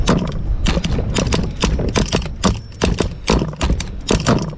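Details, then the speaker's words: Brand-new Hobao Hyper SST truggy .30 turbo nitro engine, preheated, first start before break-in: irregular sharp pops and bursts that never catch; sputtering, failing to start, suspected slightly not enough fuel; it soon started. "oh it's gonna get there it's a symptom of uh slightly not enough fuel no we'll get it we'll get it"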